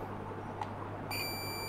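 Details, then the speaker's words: Panasonic 42-inch plasma TV, dead with no standby light: multimeter continuity test on Schottky diode on cold side of power board transformer gives steady high beep in both directions; shorted diode, to be replaced. "that shot that say it short both so I want to try to replace that"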